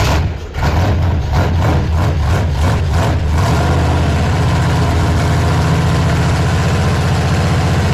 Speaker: yep I can put some timing in it that sounds good